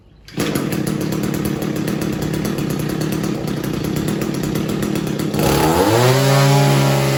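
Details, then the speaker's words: Normal full-throttle running of an Echo SRM-210 trimmer after clearing a 90%-blocked exhaust spark arrester that caused bogging: steady buzzing idle, then a quick, clean climb to a smooth, even high-pitched scream with no bogging. "so next clip is going to be on a running weed eater revving full throttle"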